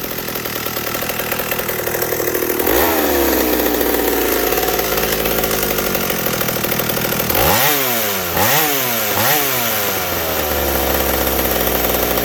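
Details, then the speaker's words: McCulloch 790 chainsaw with MC101 kart engine, custom header and pipe, 3D-printed intake gasket and carb adaptor, seven-pin semi-chisel chain, cutting oak: loud crisp two-stroke howl dipping and recovering cleanly in the cut; healthy under load. "was that not amazing that saw this only has a seven pin on it mind you i could put eight because i left enough slack on the chain"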